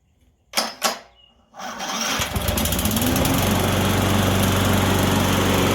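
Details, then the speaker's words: Electric-start lawn mower after carburetor cleaning: a couple of clicks, a quick crank, then it catches and settles into a smooth, steady putter; starts easier, needing less cranking than before; normal running. "It doesn't have to crank as much, from what I remember, starting it before the carburetor cleaning."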